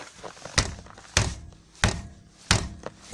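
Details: Rear wheel rocked by hand: sharp hollow thunks about every two-thirds of a second; barely heard while driving except on bumps, struts recently replaced; cause was a torn front lateral arm bushing at the rear hub.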